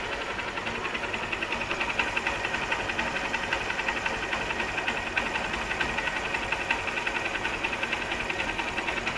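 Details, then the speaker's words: Honda CB Shine single-cylinder bike idling after repair for white smoke and oil loss: new cylinder block (piston not rebored), new timing chain, valve seals, gaskets and engine oil; even idle with light quick valve tick, no knock or rattle, no abnormal noise. "तभी इस तरह का sound है इसमें, ऐसा बाहरी कोई भी साउंड नहीं है इसके अंदर।"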